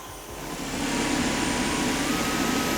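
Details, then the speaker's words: Dyson cordless vacuum with dynamic load sensing moving from hard floor onto carpet: a steady roar climbs in the first second, then holds level. Normal automatic suction increase on carpet. "can hear that increase in suction, where it's automatically detected that it was on the carpet and increase the suction."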